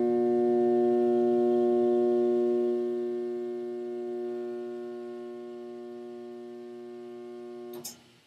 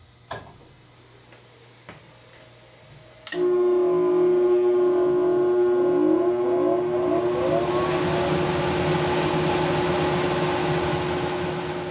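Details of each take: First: Furnace/central AC blower motor trying to start on a cooling call: loud, steady electrical buzz with no spin-up and no vent airflow, heard through the vents and generating heat; caused by a failed 5µF 370V run capacitor. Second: Furnace/central AC blower after the run capacitor was removed, tested and reinstalled, with the door safety switch bypassed: a few quiet clicks, then the blower spins up at once to a steady, even hum with no buzz. The not-starting problem is fixed.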